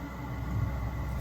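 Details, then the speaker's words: Webasto Airtop 2000 air heater on first start-up test, fitted in a Citroen Ami with fumes noticeable; low steady whooshing combustion and fan rumble, described as sounding like a turbo. Normal running. "oh can hear it now up yeah I can hear it I can smell these in fumes"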